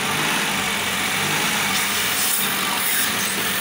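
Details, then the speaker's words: 2018 Fiat Argo three-cylinder petrol engine idling with bent valves: a steady, airy high whistle from a torn PCV diaphragm in the valve cover leaking vacuum; the engine had been opened unnecessarily on suspicion of the piston rings. "O carro empenou válvula e tem esse barulho aí que parece um apito. Esse barulho aí é o que a dona do carro queria tirar, que é apenas o diafragma da tampa furada."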